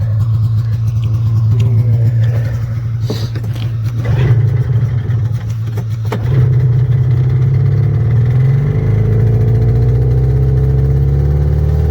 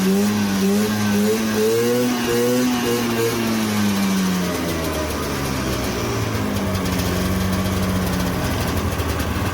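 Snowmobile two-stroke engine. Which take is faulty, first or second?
second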